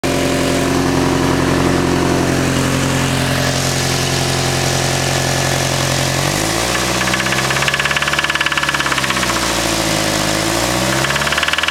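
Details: Nissan SR20 petrol engine idling and revved: deep rapid knock that keeps pace with engine speed, from a spun bearing.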